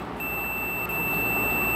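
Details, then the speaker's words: Double door fridge defrost timer tested with a multimeter in buzzer mode. The timer motor is turned by hand until it clicks onto defrost, and a steady high-pitched continuity beep holds. The timer switches properly. "तो metre के अंदर भी beep की आवाज़ आ रही है।"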